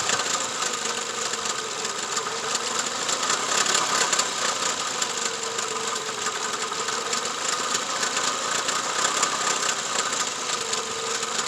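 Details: 2004 Toyota Camry at idle: uneven stumbling beat with light rattle instead of smooth hum; a cylinder misfiring, being traced without a scanner by disconnecting; suspected spark plug or injector, not confirmed.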